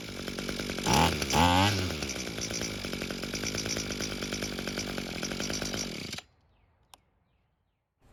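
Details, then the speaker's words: Echo trimmer small two-stroke, abandoned machine, running on a substitute carburetor with relocated choke lever after purging and choking: steady even buzz about six seconds, no stumbling, clean shutdown; normal running. "as you can tell, it works great. I just wish we were able to use the original carb instead of this other one."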